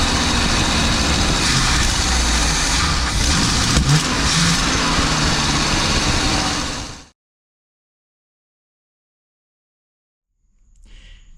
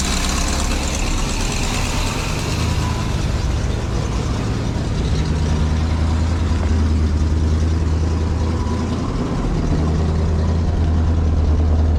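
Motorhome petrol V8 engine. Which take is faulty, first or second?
first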